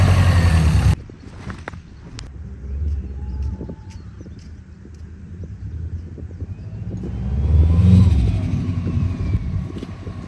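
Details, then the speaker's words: 2003 Subaru WRX with built motor, just jump-started after clicking no-start: idle surges up and sags every few seconds, air-fuel reading bouncing. Hunting idle; owner suspects a vacuum leak, unconfirmed. "I think it might have some sort of vacuum leak none of these gauges work but the air fuel bounces back and forth and it kind of idles up and down"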